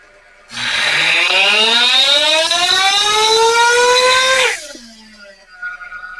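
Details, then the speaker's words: Ielasi-tuned Terra EVO nitro RC engine on the dyno during a pull, high-speed needle being set, idle turned up slightly: shrill scream climbing for four seconds, then dropping to a fast high idle; still rich and the idle too high. "Okay. Still extremely rich. We'll go a quarter turn on top. Let's do a clean out run and a recorded run."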